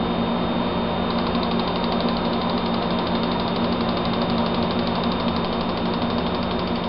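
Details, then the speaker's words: Volvo 240 with Bosch LH fuel injection, engine off, ECU self-diagnostic third function: steady fast buzzing tick of the fuel injectors cycling and the idle air valve switching on and off, a normal positive test result. "you hear that noise that noise is the fuel injectors cycling on and that noise is the idle air valve switching on and off so the test comes back positive for both of those they're both working properly"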